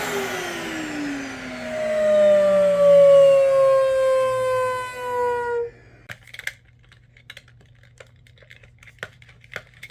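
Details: Dyson vacuum switching off: a loud whistle or howl slides down in pitch as the motor spins down, followed by light taps.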